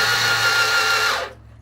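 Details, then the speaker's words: CF Moto Z6, magneto cover removed: starter gives a high even whine for about a second then winds down, spinning freely without engaging or turning the engine; starter spins without engaging. "we can see that little squirrel cage and when I spin it and like actually grab it but it's not and you can hear it's just the starter is just whining"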